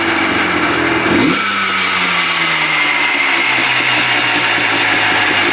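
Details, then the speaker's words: 1990 Yamaha Blaster 200 two-stroke quad after air screw adjustment: sharp blip, then revs fall slowly and hang high several seconds before idle, smoking; owner suspects an air leak, possibly a bad left crank seal, unconfirmed. "Takes a while to come back down to idle. Smoking good. Almost sounds like an air leak."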